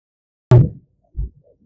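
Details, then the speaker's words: Heard from inside the car while turning the steering wheel: two dull, low knocks, one sharp and one softer. It is a suspension joint knock. "Let's listen to another noise that can be heard from inside the car when operating steering wheel."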